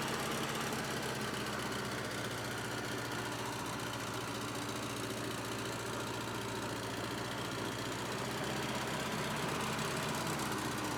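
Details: Cheap, hard-run Bobcat 610 skid steer with Wisconsin four-cylinder gas engine, said to crank every time and run good: even, steady idle with regular low pulse, no knocks or misses; normal idle.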